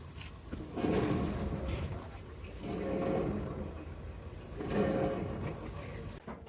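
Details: Vehicle braking very low, running with a "kich kich" noise; right-side hub turned by hand gives a dry, rough rumble swelling with each push, about three sweeps, while the left side spins free and silent; grease packing poor; worn wheel bearing.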